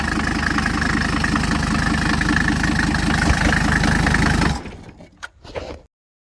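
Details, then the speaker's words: Classic Mercedes-Benz W123 with a newly swapped-in turbo diesel engine, on its very first start, with no coolant yet: even, steady clatter at about four beats a second, smooth and regular until shut-off; a healthy idle. "but this is going to be our very first start with a new turbo diesel engine in it so here we go listen to that kitty purr"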